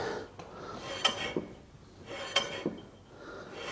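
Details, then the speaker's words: A hand-turned wheel gives a sharp metallic scrape about once a second from worn pads dragging on the disc. The owner suspects a stuck caliper slider or piston; the calipers and pads are to be replaced on both sides. "Can turn it, but as you can hear, doesn't sound the best."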